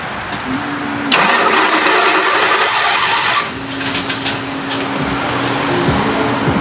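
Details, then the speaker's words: 1989 Mustang notchback, newly installed rebuilt carburetor, cold start after backing the idle mixture screws out two turns: rough, uneven catch with sharp irregular backfires over a stumbling idle. Fuel and pressure are present and timing is untouched; the owner suspects a vacuum leak or timing issue. "it almost sounds like I have a massive Vacuum Lake somewhere um okay okay got fuel got pressure that's timing's good timing should be good I haven't touched timing but yeah it's backfiring almost as if there's a timing issue"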